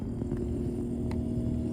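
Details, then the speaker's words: ICECO portable fridge plugged in after its first deliberate fall from a 20 ft cliff: the compressor starts and runs with a quiet, steady mid-pitched hum and light handling clicks, so it still works normally. "you can hear it and you can feel it so looks like it's still working"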